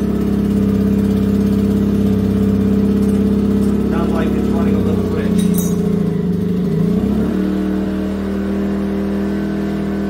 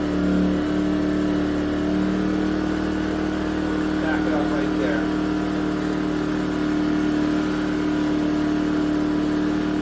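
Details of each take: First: Yamaha EF2000iS inverter generator converted to propane (tri-fuel kit, drilled-out carburetor), under heat-gun load while tuning: steady drone wavers, dips and settles to a different note as the mixture is leaned, showing it ran a touch rich. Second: Yamaha EF2000iS generator, unused since 2012, converted to tri-fuel and running on propane after lean mixture adjustment: steady even hum with constant tone on low load (600 W heat gun), no hunting; starts to struggle slightly on high.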